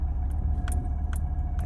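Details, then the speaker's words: 1985 Chevrolet Caprice Classic, 5.0L 305 V8, ~152,730 miles, warm, after EGR valve replacement (before: low rough idle, stalling at stops): stopped in gear with AC on, low steady idle rumble, no surging or stumbling; healthy idle. "it's idling fine too this is great"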